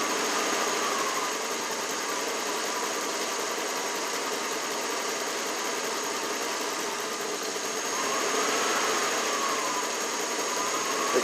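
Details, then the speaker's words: 1992 Lexus LS400 idling after a coolant temp sensor replacement and mass airflow swap, scanner showing lean on both banks and the ECU still relearning; faint, fairly regular tapping in time with the engine under a hissy background; engine knock at idle, cause unknown. "hear the engine that knocks which is coinciding with the sound of the engine back to the beginning of the menu"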